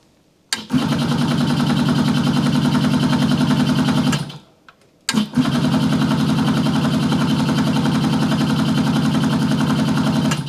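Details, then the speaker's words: Yamaha YL2C 100 Trailmaster on first start after reassembly, choke on, no fuel added: two long bursts of steady starter cranking, about three and a half turns a second, never catching; no fuel reaching it. "I don't think we've got fuel there. Okay, I think I got it. The float was not allowing enough fuel into the carburetor, so I readjusted that."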